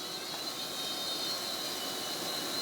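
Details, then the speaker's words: 1990 Sony BVU-950 3/4-inch U-matic VTR during overhaul, blank tape: steady, even high whir of tape spooling with a faint constant tone and no hitches; fast forward and rewind work normally. "It's fast forward. It's rewinding just fine."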